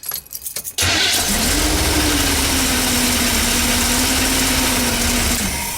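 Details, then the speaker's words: Chevy work van with an Edelbrock carburetor, restarted after sediment was cleaned from the flooded carburetor. It had run rough and rich and wouldn't idle down before; now it catches after a brief crank and settles into a steady, even idle. Normal start and idle. "Thought it might jinx me and not fire up, but yeah, everything's cool. I'm pretty happy with it."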